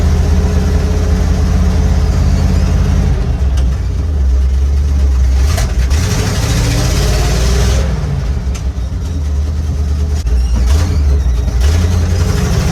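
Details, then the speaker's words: 1955 Chevy pickup with dump bed and small-block V8, sitting 23 years, now revived and driving on the road, sticky gas pedal: deep burble rising and falling cleanly with throttle through loud free-flowing mufflers, pulling evenly and peppy; healthy. "This thing is sweet. I love this truck. Thing sounds great, man."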